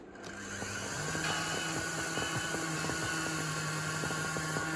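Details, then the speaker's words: Miele Classic C1 Junior Powerline vacuum cleaner after reassembly with bag and filters, started on minimum: motor spins up to a hum with uneven ticking crackle about three times a second; rough running motor. "Doesn't sound happy."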